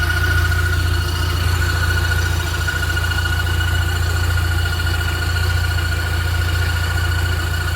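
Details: Steady high whistle of constant pitch over low idle drone from the engine-gearbox junction. Pressing the clutch changes nothing; it nearly fades with more revs and appears on throttle lift-off. Cause unidentified.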